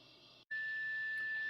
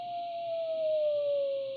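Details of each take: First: Braun T1000CD receiver BFO with unmodulated 455 kHz carrier fed into IF: clean steady high whistle near 1.8 kHz over faint hiss, the beat between carrier and off-frequency BFO. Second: Braun T1000CD radio during BFO alignment after AM IF alignment: clean, steady whistle slides smoothly down from about 700 to 300 Hz as it is tuned toward zero beat; normal BFO heterodyne whistle.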